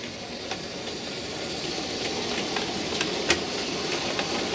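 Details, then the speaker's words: Model railway locomotive at speed step four crossing a crossover: small motor whirr with sharp clicks as a wheel jumps and the guard's van rocks. A screw fix failed. Wheel clicking over crossover. "hear it clicking and uh it's making the wheel jump across see how that uh guardsman rocked a bit there then"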